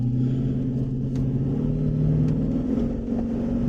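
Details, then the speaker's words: Jeep Grand Cherokee WJ accelerating after the fuel filter was replaced and a kinked fuel line repaired. It pulls smoothly with a rising drone and no surging or stumbling; before, it was gutless, sluggish, surged and stuttered. Normal acceleration. "You know, so to me, it just drives like a different car. Before it was gutless and sluggish. It would surge and stutter."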